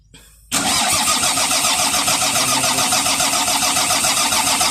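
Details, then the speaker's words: Volvo EC210BLC excavator with D6D diesel that won't start: starter turns the engine over at about three and a half even pulses a second but never fires; failed fuel supply pump feeding the filter found as the cause. "So dito natin nakita yung problema mga boss. Ito itong kanyang ah supply niya dito sa filter. Ito yung nagsu-supply ng fuel mga boss."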